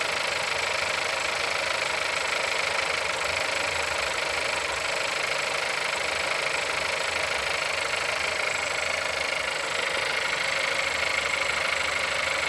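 Cold engine idling with a steady light tapping of about three per second riding over the run; the source isn't clear by ear.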